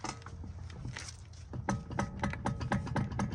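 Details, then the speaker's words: Sharp clicking knocks as the raised front wheel of a 1994–2004 SN95 Mustang GT is rocked top-to-bottom and side-to-side by hand: play from a loose front wheel bearing, to be replaced. "okay yeah definitely a loose wheel bearing start top go side to side as well let's check the other side this one as well"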